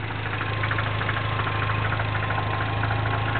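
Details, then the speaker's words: 2008 Mini Cooper Clubman S, 1.6 turbo, still cold and under warranty: a fast, light knocking rattle about three per second over a steady idle. There is a knocking rattle at cold idle; the owner suggests lifter or valve noise, unconfirmed. "do you hear that little almost sounds like a knocking noise yeah it doesn't sound good"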